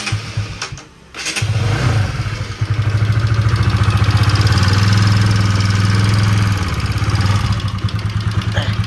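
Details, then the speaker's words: Bajaj Pulsar NS200 BS3 that the customer says has loud engine noise and a non-working radiator fan. After a short crank it settles into a loud, throbbing, uneven idle; source of the noise is unclear. "അപ്പൊ friends നമ്മുടെ N എസ്സിന്റെ ഒരു work ഉണ്ടായിരുന്നു engine നല്ല noise വരുന്നുണ്ട്"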